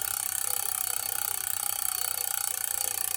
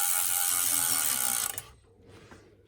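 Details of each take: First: Shimano rear derailleur with cable tension deliberately over-tightened, then eased a quarter turn; while pedaling, the chain is not centered and makes a fast ticking hiss rubbing on the 4th sprocket, from wrong cable tension. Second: Bicycle with Shimano rear derailleur after cable tension adjustment, chain now more centered. Fast, even freewheel and chain ticking for about 1.5 s with only slight remaining noise; normal drivetrain running, much better than before.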